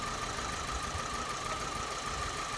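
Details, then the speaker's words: Vauxhall Astra Mk4 at idle, misfiring and pulling back under load: uneven, lumpy beat, with number four cylinder not firing; pulling its coil lead changes nothing and it shows no spark. "i think number four uh pot is not firing"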